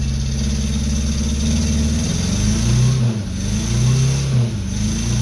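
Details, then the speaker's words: 1977 Renault R5 LeCar, neglected, first start after basic checks, foot held on gas, no gauges: low, slightly uneven idle with slow lope and dips; idle set too low, owner adjusts idle screw, suspected vacuum leak. "Sounds good. Idle is too low. Let me see if I can adjust that idle."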